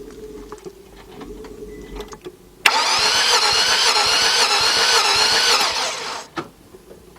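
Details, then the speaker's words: 2003 Nissan Altima 2.5 that cranks but won't start, compression test on one cylinder: starter spins the engine fast and evenly for about three seconds with no compression pulses and no firing; no compression in that cylinder, cause not yet confirmed. "It didn't go anywhere. All right, that means we got no compression in that cylinder, which means that sucks."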